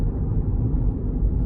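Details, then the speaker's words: Vauxhall Corsa (bought at auction, freshly resprayed) on a test drive at cruise: steady low road rumble with no knocks, clunks or bangs from the suspension; steers dead straight hands-off, tracking good; suspension normal. "i'm not hearing any knocks and bangs from suspension um i've let go of the steering wheel she's steering absolutely dead straight so tracking's good"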